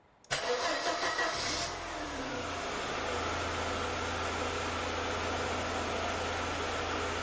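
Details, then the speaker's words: Mercedes W201 190E 2.0 petrol, over 30 years old, just after fuel pump replacement: the pump whirs, audible now where it wasn't before, then the engine catches cleanly and settles into a steady, even idle with no misses; normal start. "Okay, that's great news. The pump is actually working, and the car started, because it started before when I changed the fuel pumps, but"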